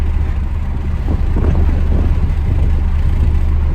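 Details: MK5 Toyota Supra, windows down at about 54 mph, recorded on cell phone, before fitting Armaspeed Windblock side mirrors: heavy low pulsing wub-wub throb filling the cabin, sound waves reverberating badly; wind buffeting, easing when slowing down.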